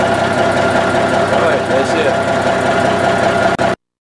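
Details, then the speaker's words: 1984 GMC truck, warm-ish engine restarted 45 minutes after a 15-minute run: even, steady idle with smooth pulse and faint steady tones, no knock or misses, clean exhaust; normal idle. "I just started the engine and you can see it's running clean the engine wasn't completely cold"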